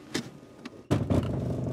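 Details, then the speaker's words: Car under diagnosis with a Renault Clip probe, not drivable: quiet, then a sudden heavy low clunk and rough rumble as reverse engages, settling into a grumble. Abnormal reverse-engagement noise, drive less severe, cause not found. "oh and just for your amusement here's what the car sounds like when I switch to reverse gear"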